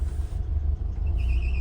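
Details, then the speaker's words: 1991 Nissan Hardbody 4x4 manual pickup just started in neutral via the clutch interlock button: rough idle surging and dipping unevenly, chime sounding, check engine light on; owner suspects only 3 cylinders firing, an intermittent misfire that sometimes goes away. "As you can see, we do have a check engine light, and it is idling pretty rough right now. I think it's only firing on 3 cylinders. Like I said, there is an intermittent misfire."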